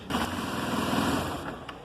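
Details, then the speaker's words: Motorcycle with electric start after starter-noise repair (flywheel removed, alternator connector and cover refitted): starts and runs smoothly with normal sound, without the clicking/snapping heard before repair. "e agora vou estar Funcionando aqui a parte de elétrica para vocês escutarem o barulho né que agora vai fazer a motocicleta o barulho normal de funcionamento"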